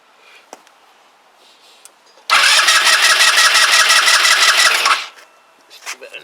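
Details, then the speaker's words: Kymco Agility 125 with wheel and exhaust refitted: starter spins the engine about three turns a second but it never fires, though the fuel pump is feeding the carb. Cranks, no start. "oh yeah you know yeah it's feeding the cab so why are you not firing then what is wrong with you"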